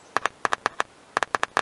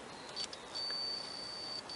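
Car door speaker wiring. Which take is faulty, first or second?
second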